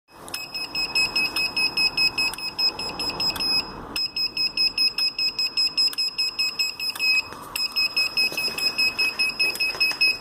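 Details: Gliderol electric garage door opener after the door closes: rapid high beeps about twice a second with sharp relay clicks, persisting despite remote reset, obstruction sensitivity and limit readjustment, and power cycling.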